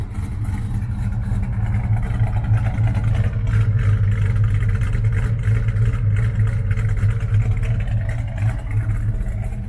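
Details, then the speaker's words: Restored 1973 Dodge Charger V8 starting without throttle, then a deep, even idle burble that swells with a light rev and settles back smoothly. "Elle a démarré impeccable. Et elle a ce joli son bien à un contour, faut le signaler aussi. Elle a un bruit fantastique."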